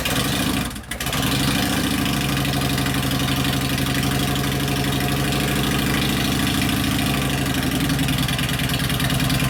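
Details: 1999 Harley 80ci Evo chopper (custom bobber), started with choke turned off: loud, lumpy V-twin beat settling into a steady, even idle with no stumbles or clatter; engine running as it should.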